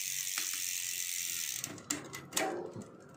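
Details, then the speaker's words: Bicycle (Giant Fathom) after fitting a new 12-speed chain: freehub ticking, then two crisp quick clicks as the chain jumps cogs immediately, one click per shift; smooth, noise-free shifting. "Isang click, shift. Isang click, shift. So ayan siya guys. Wala nang ingay. So smooth na smooth."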